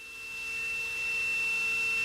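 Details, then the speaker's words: 600 W jump-start power box with inverter, always kept on 120 V mains: a single steady high-pitched tone comes on at power-up and holds. This is the alarm that the battery charge is far too low. "So it's when that happens, when you hear that noise, that means the battery is way too low of a charge."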